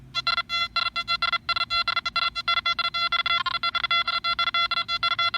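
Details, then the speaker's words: Nokta Makro Anfibio metal detector swept over three coins about 2–2.5 inches apart: quick, clean beeps with a distinct tone for each target. Fast recovery, working properly. "three separate targets right next to each other and this machine recovers quickly to let you hear all three"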